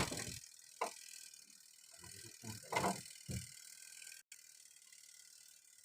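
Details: Twin-tub washing machine spin-dryer timer turned by hand during multimeter check: short bursts of dry ratcheting clicks; winding mechanism works, sound indicates the timer still functions.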